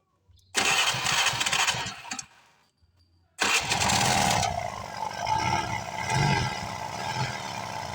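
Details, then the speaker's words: Honda Vario 110 scooter starts twice, then runs with a rough, uneven rumbling knock from the flywheel (magneto) side; teardown finds a part there very loose, with oil also leaking out. "keluhan yang ada pada motor ini adalah ketika dihidupkan di sini ada suara aneh ya bisa kita tes ya"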